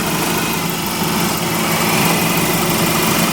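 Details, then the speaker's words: 1995 Eagle Summit LX wagon, freshly rebuilt stock 4G64 engine, after fuel pump and filter replacement: steady, even idle, running smooth with no misses. Some idle vibration rattles the hood prop. Normal idle. "running smooth. I'm holding the hood prop because I don't think this engine has balance shafts, and at idle there's more vibration."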